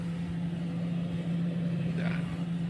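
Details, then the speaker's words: Non-inverter refrigerator compressor starting after the swollen overload protector and faulty relay were replaced: low, steady hum holding one pitch without clicking off or straining, running normally and cooling again. "nah teman-teman kedengaran ya suara kompresurnya juga langsung Peng Ya"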